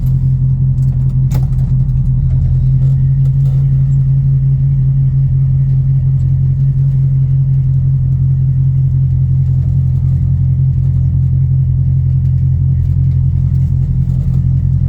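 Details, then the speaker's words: 1981 Chevrolet C10 pickup cruising after rear differential rebuild (new bearings, pinion gear, RTV instead of gasket): steady low hum at constant pitch over road drone, rear end singing. "you can really hear the rear end, because it is just singing."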